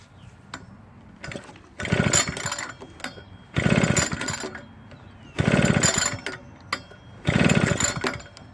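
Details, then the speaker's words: Husqvarna backpack blower stored for years with old gas in the tank, repeatedly pull-started after priming showed fuel moving through the lines: bursts every two seconds with no catch; no start, traced to water in the stale fuel. "been in storage for a very long time before the backpack blower came into my possession an attempt was made to start it but unfortunately it did not start for them"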